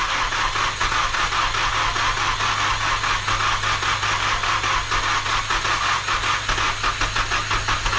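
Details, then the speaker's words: Nissan S13 with freshly rebuilt SR20 engine (Infiniti G20 crank, new gaskets and seals) idling after first start: steady even idle, regular exhaust pulse, faint hiss, no knocks or misses; sounds healthy, oil pressure unmonitored. "down hey running you just let go you're good good job hey it runs thank you it freaking runs dude looks good I don't have any way to monitor oil pressure but I mean it sounds good"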